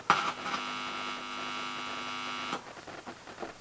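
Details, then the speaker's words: Homemade microphone cable through transformers into a reel-to-reel recorder, one end balanced and one unbalanced: touching both wires gives a steady mains buzz with a high edge that then drops away, hum from the poorly balanced input. "buzzing isn't as loud of course if this was properly balanced there wouldn't be any buzzing at all"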